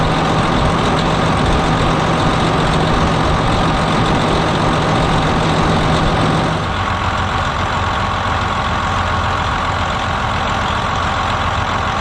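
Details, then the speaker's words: 2007 Freightliner Columbia with a Detroit Series 60 diesel, started after replacing the bad fan clutch hub: a heavy, steady, even idle with a low drone and no knocks or rattles. A normal healthy engine. "okay so where the bearings are still you know new and the hub is you know new it would still barely turn over when the engine was running"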